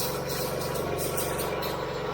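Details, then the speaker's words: Gas engine pressure washer after AR45 pump and gearbox replacement, both water inlets open: steady engine with an uneven fluttering pump pulse from air still trapped while priming; air in pressure washer pump. "oh we back baby yeah you can hear the air in it"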